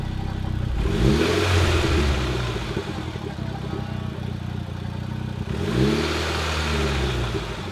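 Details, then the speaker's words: Mitsubishi EVO X, first start after engine reinstalled and components reconnected, jump-started: catches and settles, then two clean blips rise and fall smoothly, no knocks or rattles; healthy start and rev. "It's alive! This is a moment that I've been waiting for so long. The EVO is finally alive again."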